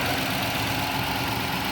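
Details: 2007 Ford Expedition after serpentine belt replacement: engine settles into a smooth, steady idle with an even note and no knocks or ticks; sounds healthy.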